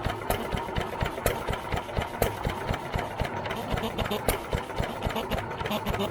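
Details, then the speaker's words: New Idea Vari Speed engine, freshly restored and choked to start, idling unloaded with the mic near the valve: steady chuffing with a light, even valve tick about twice a second and no knocks. Valve working fine. "i'm gonna pick you up bring you over here and let you listen to this valve here clicking in there it's working fine"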